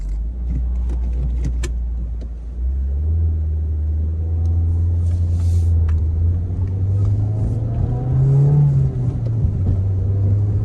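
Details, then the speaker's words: 2008 Ford Focus 2.0 on the post-repair test drive after replacing a failed engine mount; the engine hums low and steady, rising with speed, no heavy vibration, much quieter; a slight dash buzz remains and there is no exhaust leak. "it runs exactly like you'd expect it to run it is not obnoxiously loud anymore"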